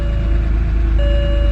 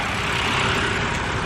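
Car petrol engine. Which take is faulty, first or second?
first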